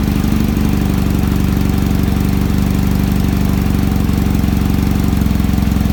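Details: Kawasaki ZX-7R four-cylinder after carb cleaning for a faltering idle circuit, cold start: steady, even idle, smooth low drone, no misses or hunting, idle screw now working; normal cold idle while warming.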